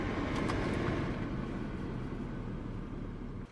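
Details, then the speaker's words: Audi A6 Allroad, sat over a month, on cold start: steady low droning air suspension compressor hum without letup, light on, but car stays dropped to the ground; cause unclear. "ah that noise is the air compressor as you can hear the green light is going on"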